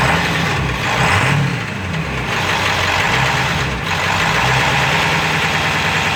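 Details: 7.3 diesel rough runner with no power, switched from high idle to street mode: lumpy idle with irregular deep heavy knocking that surges and dips, owner says sounds like rod knock; raw-diesel puffing smoke, EGTs good, cause unknown.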